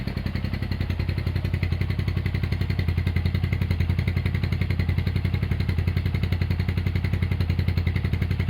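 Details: Honda GL100 (GLK 100) engine from Palembang after restoration, with CDI installed, a new tensioner blade and idle raised: a smooth, even single-cylinder beat at about 220 firings a minute, no clatter or knocking. Runs healthy.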